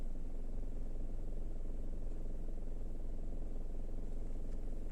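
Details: Kia Rio 4 automatic, 68,000 km, stationary in R or D: low, deep rumbling rattle and vibration pulsing about three to four times a second, stopping in neutral; source unclear, owner unsure if gearbox; vibration and rattle in gear.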